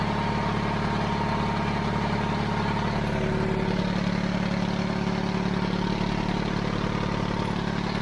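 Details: 70-year-old 1950s barn-find D6 dozer diesel, started via pony motor after years sitting: steady, even chug at about two and a half beats a second, no knocks or miss; settled normal idle.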